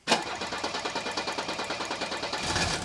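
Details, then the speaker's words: Old Mercedes-Benz diesel, warm, started quickly without glow plugs with air possibly in the fuel system: quick, fairly even chug with faint unevenness, slight misfire at idle, slowly improving. "I think if you listen closely, you can tell it continues to improve, ever so slightly."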